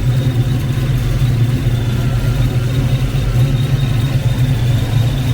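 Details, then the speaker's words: Foxbody Mustang 5.0 V8 with a rebuilt Kenne Bell 2.1L supercharger, first start after installation: a steady, slightly high idle with a thin high squeal over it. Owner suspects the blower or AC compressor spacing; not confirmed. "I got a little bit of a squeal I can hear. I don't know if that's blower related or... Maybe got to mess around with the spacing on that AC compressor a bit more."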